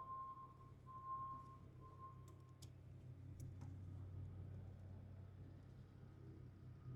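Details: Old International tractor brought back to life: a low, steady engine rumble running evenly, with the engine speeding up toward the end as oil pressure climbs to max. It runs normally; the battery cables were hooked up positive ground.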